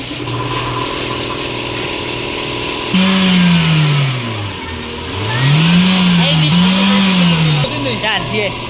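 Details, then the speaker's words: Toyota Vios after a transmission fluid change, engine revved while parked: revs rise and fall smoothly and the earlier droning transmission noise is gone. The alternator bearing, water pump and tensioner had already been replaced. "Ayan sir, baka wala na. solve na yung problema ni sir."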